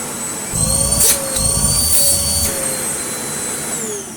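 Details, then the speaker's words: Hoover Rapid vacuum cleaner switched on after refitting the shroud and filter; motor spins up to a steady high whine with some handling noise, no rattle or grinding, running normally. "ah that's not half bad put the hose up look it can clean up we can clean its own filter off"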